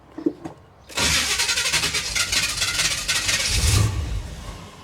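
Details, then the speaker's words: 1977 Chevy Monte Carlo, unused on the road for decades, first start attempt after setting the distributor near TDC on cylinder one: starter grinds unevenly and the engine coughs and putters without catching. Starter may need shimming; owner suspects timing needs advancing. "okay let's give her crank oh that sounded awful oh she puttered"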